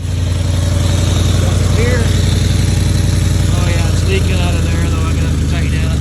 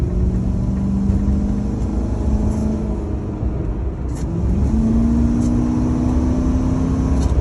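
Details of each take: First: Ford F-150 idling right after new catalytic converters were installed: deep, lumpy idle with a sharp puffing tick on every firing pulse, about four a second; exhaust leaking at a clamp that still needs tightening or welding. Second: Ford F150 on a short drive after new catalytic converters were fitted and a missing exhaust bracket that caused vibration was reinstalled. It gives a smooth, even, quiet exhaust drone rising with speed, and the computer may still be relearning the cats. This is a normal exhaust, much quieter than before.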